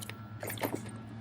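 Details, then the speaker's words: Used Traxxas Summit RC truck inspected before purchase, one steering servo cut off and link missing: hollow springy clunks as it's bounced; suspension shouldn't bounce, owner suspects shocks missing oil/damping or too tight. "this this is probably missing oil or damper effect or maybe it's just too tight need to address this"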